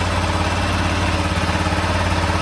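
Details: 1996 BMW F650 Funduro single after carb rebuild replacing mismatched cheap-kit jets, warming up; steady even idle thump around 1,500 rpm, no misses or knocks; idling cleanly.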